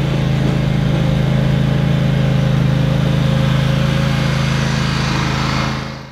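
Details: Toro Wheel Horse 522xi being diagnosed for a no-start after four months parked, with fuel pump replacement tried: a steady, even low drone at constant speed with no misses or surging until it winds down. It runs normally.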